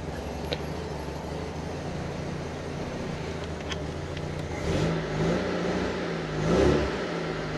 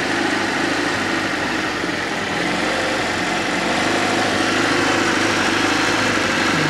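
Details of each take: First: Fiat Panda 4x4 Sisley, Fire engine, after a water pump replacement, started cold on choke with water over the spark plugs: uneven chuffing with surges and dips, rough tick-over; cause unknown. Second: Fiat Panda 4x4 Sisley, Fire petrol engine, after water pump replacement, at full hot working temperature with thermostat open: smooth, even idle, steady low hum, no grinding or knocking; running healthy.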